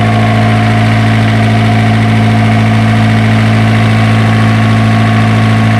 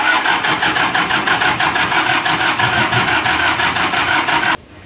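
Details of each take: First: Isuzu diesel generator engine, previously hard-starting, now running after troubleshooting: a steady, even idle with a firm low thrum and no misses or knocks; runs smoothly and healthy. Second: Isuzu diesel generator engine with hard starting problem: rapid regular cranking chuffs about three a second for several seconds never catch, then stop; cranks but won't fire.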